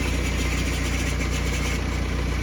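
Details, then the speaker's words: 2011 BMW E91 diesel with 6HP21 automatic, started cold: a fine metallic ring rides over the steady diesel idle clatter from loose torque converter internals. The clutch slips in gear: it grabs up to 2000 rpm, then slips and drags out the shifts. "как заводишь, звенит бублик. Включаю скорость, буксует сцепление."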